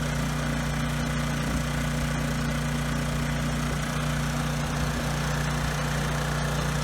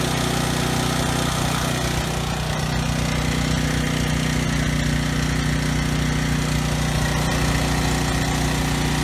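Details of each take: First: Briggs & Stratton generator engine at no load before carburetor cleaning; idles low and a little uneven with a slight stutter under wind noise, rpm low; cause unconfirmed; rough idle with low engine speed. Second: Briggs & Stratton generator engine after carburetor cleaning and governor tab bent to raise no-load speed toward 61 Hz: steady, even low hum, no stumbling or surging at no load; earlier stutter resolved, running smoothly.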